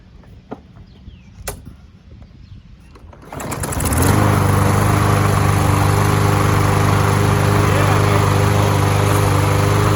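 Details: Troy-Bilt TB-200, heavily abused, just after drive cable replacement, before fitting the new air filter: quiet handling noises, then the small single-cylinder engine catches and settles into a steady, even idle beat with no misses. Normal running.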